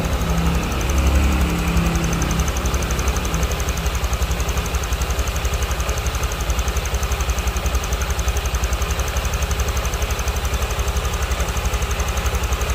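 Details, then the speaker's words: Honda Vario scooter with rough noise, after replacing the cam chain tensioner: steady even idle pulsing about four beats a second with no ticking or rattle; cam chain sounds calmer. "dan ini kita coba dan teman-teman bisa dengarkan untuk ee suaranya ya setelah diganti untuk pensionernya lebih adem"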